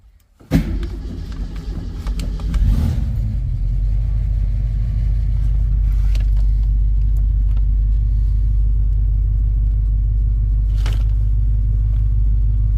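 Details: Jeep started: it catches after a brief crank, then settles into a steady, even low rumble with no knocks or misses. Normal running.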